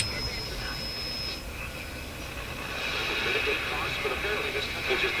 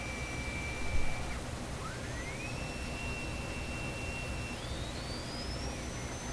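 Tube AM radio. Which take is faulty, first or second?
second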